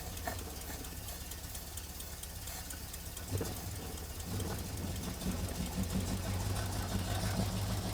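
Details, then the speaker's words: 1969 Ford Bronco V8, long-stored, after bad starter solenoid replaced, started with starting fluid: quiet, fairly even low idle with steady pulse, no misfire; runs and idles well, hard starting blamed on pilot jet, carb clean planned. "We got her started. Um, it's running good, idling good. It's just having trouble starting on its own without starting fluid."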